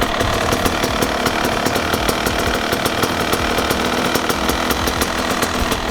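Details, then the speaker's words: Two-stroke dirt bike carburettor setup: air screw opened too far, giving a fast, crackly idle that revs freely and climbs; the mixture is too lean (too much air), to be turned back for proper idle. "and now this way it will sound like if it's too skinny"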